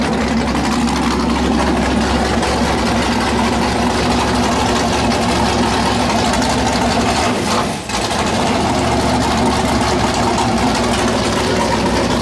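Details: 408 LS stroker V8 on first start after build: deep, uneven loping idle with a choppy rhythm and a brief dip midway; normal big-cam idle, air-fuel around 13.3, possibly a touch lean.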